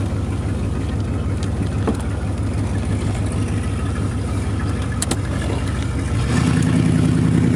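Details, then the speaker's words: 1986 Camaro IROC-Z at idle with a loud, deep, raspy rumble that swells. The exhaust pipe broke where the Y-pipe forks, so it is blowing out ahead of the mufflers. "well that was my broken exhaust pipe on my 1986 Camaro um well I guess we'll be fixing that tonight because I'll be uh sure to get pulled over if I drove that thing around much longer"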